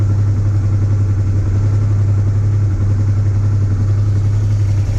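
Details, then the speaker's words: Honda Transalp 650 warmed up after 2 minutes, microphone near engine: steady even V-twin idle, slight tapping considered normal, no knocks. "Звук около двигателя. Работа ровная, чистая. Есть небольшое подстукивание, но мне кажется, это нормально для Трансальпа."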